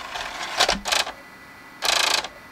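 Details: Xbox 360 (Jasper board) with an open-tray error, its DVD drive previously cleaned and flashed, trying to read a Diablo disc: short harsh buzzing bursts with a clack between them as the laser sled jumps on a loose screw.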